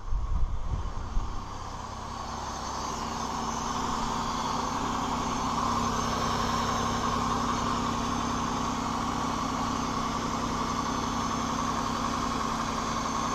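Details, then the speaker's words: 2002 Chevy Malibu 3.1 V6 that cranked but would not start, after new crankshaft sensor and now new camshaft position sensor; starts right up and settles into a steady, even idle, smooth low hum, no stumble or knock; problem appears fixed. "Ooh, it started right up. Looks to me we fixed the problem, guys."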